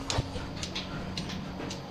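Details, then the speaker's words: Dairy milking unit: the pulsator clicks evenly about twice a second, alternating side to side to open and close the rubber liners, over a steady vacuum hum in the milk line; the pulsator is working normally. "and then this is our pulsator you hear that clicking it's it does two does one side other side it it it pulsates back and forth the sides and it just opens and closes that rubber"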